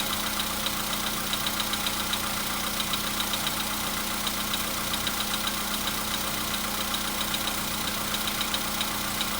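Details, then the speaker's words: VW Polo Sedan at 101,705 km, cold start with oil slightly above mid-level: steady whine with a light tick two to three times a second that is just beginning; new cold-start whistle plus emerging knock. "Свист — это что-то новое. Пока почти не стучит. Вот начинает."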